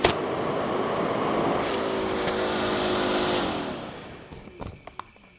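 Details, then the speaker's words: Revotec electric cooling fan for a Triumph TR4 restoration, bench-tested on a constant power supply limited to 5 amps before install: steady electric whir, even tone, not very loud but good suction, winds down smoothly; normal fan running. "All right, so that's not incredibly loud, but it's a good, oh yeah. So that obviously pulls some"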